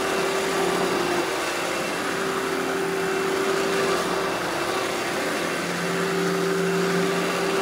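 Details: Eureka The Boss Smart Vac upright vacuum, model 4870 type GZ, bought secondhand, belt replaced; switched on for a demo: steady even motor roar, constant whine, no rattles or surging; normal smooth running.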